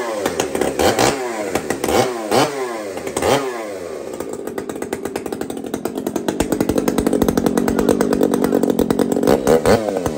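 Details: Two-stroke chainsaw (Kenzie's), first fire: a few pull-start rasps, then it catches with throttle given and climbs to a smooth, steady high-revving scream without stumbling; running clean.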